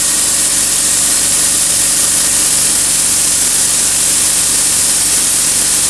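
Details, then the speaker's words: RIGID 4.5-gallon air compressor running under load at 90 psi while an air tool is used: steady motor drone under constant loud air hiss, no knocking or surging; air pressure holds up, working normally. "let's see if we can hear this maybe diminishing on the air so it's not probably gonna be the best video but we'll see here we go i'm sure you guys just heard the air compressor go off"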